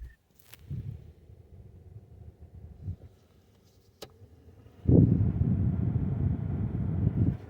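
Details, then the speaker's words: Mk2 Ford Focus cabin heater blower after replacing the fan resistor (previously dead on settings 1 and 2): quiet, then a steady airy rush from about five seconds holding evenly on first and second settings; blower working normally. "now you can hear that when I turn the fans on on the first and second settings the fans do kick in as they should"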